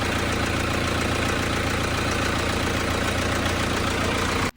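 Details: Hyundai Santa Fe common-rail diesel that would not start, after a weak battery was charged; it settles into a smooth, even clatter with no misses or knocks, holding a steady idle until switched off.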